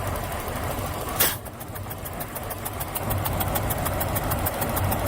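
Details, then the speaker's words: Ford Ranger with misfire, compression test while cranking, plug removed: steady cranking about 200 beats a minute with soft, thin puffs from plug hole, pressure building slowly; low compression on this cylinder suspected, not yet compared. "You hear the compression coming out of that. That's not a lot. That doesn't sound like a lot at all."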